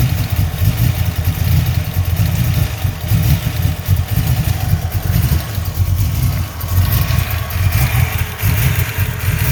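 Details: 347 V8 at idle: a deep idle with an irregular stumble and uneven exhaust pulses every second or so, sounding like a misfire. The owner suspects a possible vacuum leak but is unsure.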